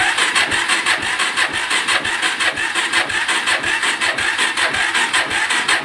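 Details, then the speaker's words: Suzuki LT-R 450 quad with very low, uncharged battery and unknown fuel level, plug grounded for a spark check: slow labouring cranking about two turns a second; spark present but battery too weak, to be charged. "there's spark but as you can tell the batteries so well it's having a hard time so let us charge the battery up"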